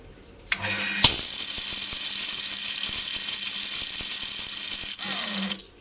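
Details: New Hitachi water pump with a harsh, steady buzzing rattle from the motor while running, first thought to be a broken bearing; the motor cooling fan had worked loose because its clip no longer locked, and the fix is a replacement fan.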